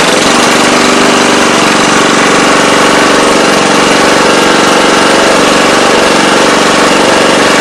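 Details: Honda GCV190 engine on a Husqvarna AWD mower that wouldn't start, after carburetor float and needle service, new plug, fresh oil and new gas: runs loud and steady at constant speed with no surging or dying; runs properly.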